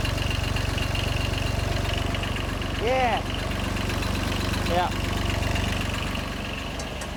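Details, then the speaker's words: John Deere 755 compact tractor, Yanmar 3TN diesel, first start after a full rebuild: steady, even idle with regular low chug, only flywheel-shield interference and light rattles from unattached parts. Normal idle. "that sounds way better already there just an interference from that Shield everything else is just stuff rattling"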